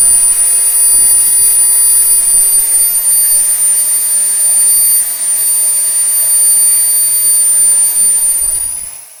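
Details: SWIWIN SW220B micro turbine on a test stand, test run three: steady piercing high whistle over a smooth rushing roar holding even at the 110,000 rpm max, about 45.5 lb thrust, then fading; normal running at full speed.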